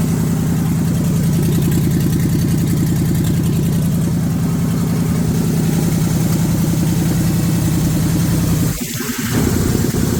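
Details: 1978 Chevrolet K20 first start after sitting for years, carburetor suspected junk: smooth even beat, no misfires, holding a fast idle that never drops; runs clean, idle set too high.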